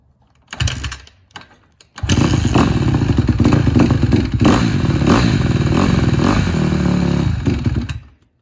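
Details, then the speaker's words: Honda CRF150RB with Keihin FCR carb after the O-ring mod for low-end bog, started without choke, front sprocket off, leaking oil from missing gasket: a few kicks, fires, and picks up cleanly on light blips; bog gone. "seems to have gone away. I can't rev it up too much, but I'm not trying to warm up the oil too much."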